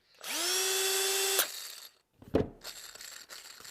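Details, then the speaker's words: Milwaukee cordless drill on 1.5 Ah battery, free-running on bench: clean steady high gear whine without rattle or grinding; gears sound precise, normal. "Nice. It just has, Milwaukee has a more of a precise sound. The gears sound better."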